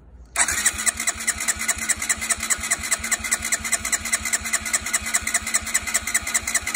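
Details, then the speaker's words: Stolen-and-recovered Honda CB125R, non-starting, petrol poured into airbox, compression tester reading about 100: steady starter cranking, even but weak beats, no firing; owner suspects low compression, later found cut fuel pump wire was the no-start cause. "okay well i've uh put up my testing kit together so let's see what happens okay so we are up to about 100."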